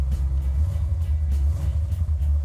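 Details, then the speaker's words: Completed 1970 Dodge Challenger R/T 440 Six Pack, 4-speed, three 2-barrel Holley carburetors (1,350 CFM), Comp Cams 284-duration cam: deep, choppy, lopey idle from the big cam, steady and even, healthy V8. "Idle's nice, has a nice bump stick to it."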